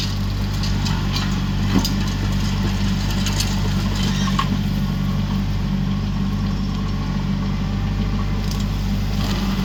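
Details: Used 2018 Woodland Mills WG24 3-point stump grinder on a tractor PTO (run below the rated 540), grinding a beech stump: steady heavy engine drone with chips rattling and cracking, engine holding speed under load; cutting properly.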